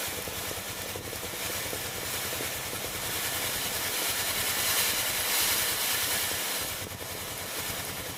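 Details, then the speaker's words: Philips GC7620 steam iron after replacing the water pump (old pump valve cracked): steady steam hiss with faint quick pump pulse, pump working and steam flowing normally from the soleplate. "จะได้ยินเสียงปั๊มน้ำเบาๆนะครับตอนนี้ไอ้น้ำออกที่หน้าเตาไว้นะครับ"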